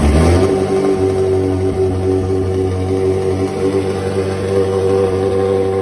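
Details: Ferrari 360 V8, first start after full engine rebuild, oil pressure pre-built by cranking with fuel pump relays disconnected: smooth steady even drone, no knocks or misses; normal running.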